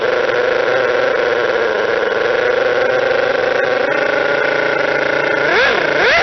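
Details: Model twin rotary engine retested after fixing a stator gear mesh noise (bad crank and housing, plates 0.005 mm out, reskim and shim): a smooth, steady whirring with no rattle, then two throttle blips. Runs clean and quiet.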